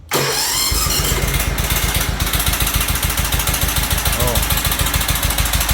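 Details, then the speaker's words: Toro Titan HD with Toro twin-cylinder engine, cranked at half throttle with choke: catches, then a lumpy chug about three to four beats a second on one cylinder and dies within seconds; likely loose valve clearance let a valve drop, bending it and breaking the cylinder head. "It sounded like it was running on one cylinder, so what I did is I kind of quickly just kind of tapped, with my finger to feel if this was warm"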